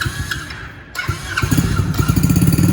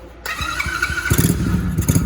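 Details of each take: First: Dirt Kicker XV110 110cc electric-start automatic dirt bike at first start: catches after a few cranks, fast slightly uneven putter held with a little throttle; dies when throttle released, won't hold idle yet. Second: Kickin Powersports 110cc Dirt Kicker XV110 with electric start and fully automatic engine, kill switch on, key on, brake pulled: a short starter whir and cranking pulses, then it fires within about a second. A clean start that needs a little gas to keep running.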